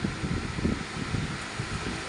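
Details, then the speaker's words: Comtain 48-inch high-speed ceiling fan after repair for noise and sticking while running; soft even airy whoosh with no knocks or rubs, noise completely gone, running freely. "ये pan हमारा चालू हो गया आवाज बंद हो गई जरी भी आवाज नहीं आ रही है फर्स्ट क्लास हो गया पैन जरा भी प्रॉब्लम नहीं चलने में ज साउंड नहीं है आवाज पूरी चले गई"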